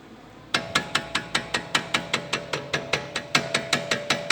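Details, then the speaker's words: VW Golf TSI three-cylinder: rapid, sharp metallic knocks about five a second from a front brake caliper rattling on worn slide pins; the proper fix is replacing the pins. "que barulhinho chato barulho vem daqui pessoal Essa é a folga ó ó não sei se vai dar PR ver a folga Ó mas a pinça tá mexendo ó aí ela tem folga aqui Ó nesses pinos deslizante"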